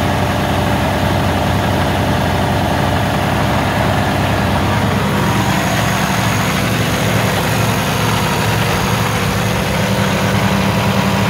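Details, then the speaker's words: Cummins X15 diesel with code 559 (low rail fuel pressure), rough running and intermittent shutdown, idling during fuel restriction test (2.5 inH2O, in spec): loud, slightly uneven idle; excess air bubbles in fuel, traced to a bad fitting sucking air. "but I did notice we had a lot of air bubbles so I'm just going to check for airation"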